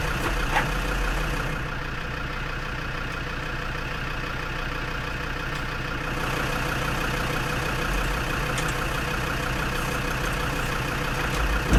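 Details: Perkins P4 diesel in a Lansing Bagnall Model A tug, cold start with heat applied and a Land Rover hooked up for extra starter juice: slow, labored cranking about four turns a second, never catches; cranking too slow to start.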